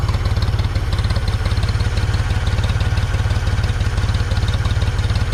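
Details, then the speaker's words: 1974 Ford 3550 industrial tractor, revived after 18 years sitting and recently seized: smooth low chuffing idle at about three and a half beats a second, no misses or knocks, "absolutely beautiful"; green coolant, radiator seems okay. Normal idle. "looks like this radiator is going to be okay i was a little nervous because it's pretty damn green but uh running beautiful running absolutely beautiful"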